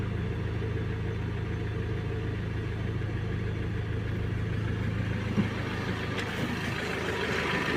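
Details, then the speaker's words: Ford Transit diesel van with a knocking engine, first start after the camshaft, vacuum pump and leaking water pump were replaced: a steady, even diesel idle with a low drone and no clear knock or rattle. "Всё собрали. Всё, завели. Первый запуск. Заводим машину."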